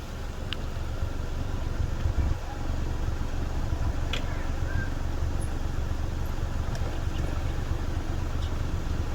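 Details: Nissan Almera 1.2 three-cylinder at idle, microphone at the exhaust tailpipe, after work that cured earlier puffing: steady even exhaust beat with no dropped pulses; normal exhaust note at idle.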